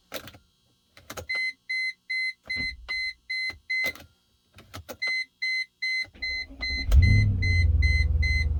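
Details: 1999 Mercedes-Benz C43 (W202), suspected EIS issue: repeated twin-tone chime pulses about 150 a minute during key attempts, then a brief crank that doesn't catch; no-start with warning chimes, cause unconfirmed.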